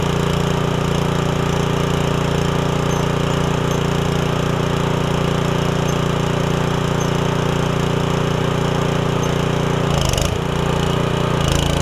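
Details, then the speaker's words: Ryan Jr. sod cutter after replacing the leaking cutter auger oil seal and refilling oil, running with cutter engaged: steady small engine with firm regular chop about three beats a second, no knocking; normal running, appears dry. "But I'm going to crank it up and at least engage the auger or the whatever you call it on this thing. See what happens."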